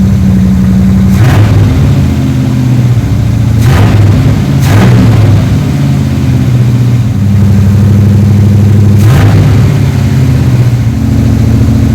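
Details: 3rd Gen Camaro Z28 carbureted V8 after replacing the plug wires and the spark plugs that caused a dead-cylinder misfire; steady, even idle with a low, smooth rumble and a few brief blips, now a normal idle on all eight cylinders.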